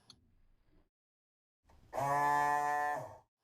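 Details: Rule 800 bilge pump powered directly by bridging the two float-switch wires with a needle. Steady, even motor hum that then stops cleanly; the pump runs, confirming the float switch is broken and needs replacing.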